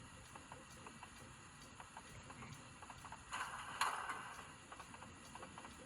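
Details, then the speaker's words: Model train locomotive with a Tsunami2 sound decoder, after a full factory reset, brake not applied; faint regular light ticks, about three to four a second, that speed up as speed steps increase; sound works but the loco does not move. "whenever i increase the speed steps you can hear that there is a little clicking noise listen all right"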